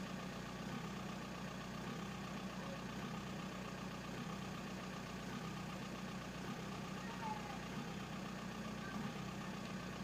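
Diesel idle with an uneven, lumpy clatter and a dip roughly once a second; the injectors aren't firing evenly, so it idles rough.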